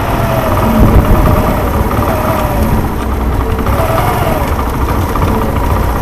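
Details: Suzuki Intruder 125 after about a month standing, refused to start; small single revs unevenly with ragged, irregular stumbles and won't settle; misfire, owner suspects stale gasoline fouled a dirty carburetor needing cleaning.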